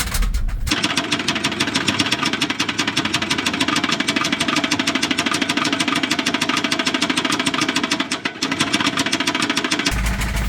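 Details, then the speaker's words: Volvo B230 redblock with no oil pressure, driven on the street after about 10 minutes of prior knocking: hard, rapid metallic rod knock throughout. It lasted roughly 1.5 minutes before failing and holing the block. "so total time of this engine spent already without oil pressure knocking really bad has been 10 minutes we're going to see if it can survive another 5 10"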